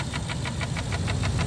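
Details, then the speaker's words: 6.2L V8 at idle: sharp, even ticks about six a second, sounding like a lifter tick but no cover vibration; caused by failed intake manifold valves, since fixed; intake manifold valve ticking. "it's these little valves in the intake manifold and when they go bad they sound just like a a a rod or not a rod knock a lifter tick crazy"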